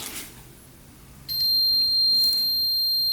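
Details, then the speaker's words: Multimeter continuity test on a fuse of a homemade tracked snow bike (1990 Honda CR125 chassis, 500cc two-stroke snowmobile engine): steady two-second beep shows the fuse is good and not causing the issue. "You can hear the beep, so that fuse is good. So it's not the fuse causing issues."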